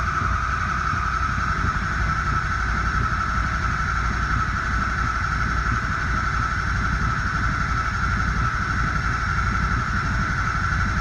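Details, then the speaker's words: 2003 Ford 6.0 Powerstroke just started after Alliant Power reman injector replacement and long cranking to build oil pressure: steady even diesel clatter with faint constant whine, no misses; idling smoothly. "And it seems like it's idling pretty good, actually."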